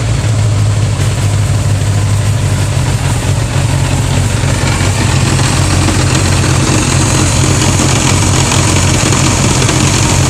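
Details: 1981 GL1100 motorcycle at idle, loud steady low idle with a rough uneven thump running through it; clunking noise, cause unclear.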